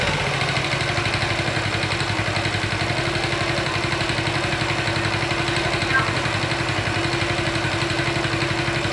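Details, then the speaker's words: Honda Chaly engine, previously disassembled and reassembled without replacing many parts, at steady idle: light, fast metallic rattle over the firing beat; source not yet pinned down, cam chain tensioner to be checked next. "I don't know! I am not sure where, but there is a strange noise."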